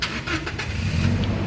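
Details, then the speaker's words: 2018 Toyota Kijang Innova Reborn 2.0 G, manual, about 97,000 km, in neutral with the clutch pressed: brief quick cranking catches promptly and settles into a steady idle, a clean healthy start. A hesitant start would point to a weak battery or the starter motor. "pada saat kita starter mobil pastikan bahwa nyalanya itu jereng karena apa kalau dia nyalanya tersendat Berarti ada kemungkinan permasalahannya bisa jadi di akinya sudah soak atau dinamo starternya yang bermasalah jadi perlu diservis"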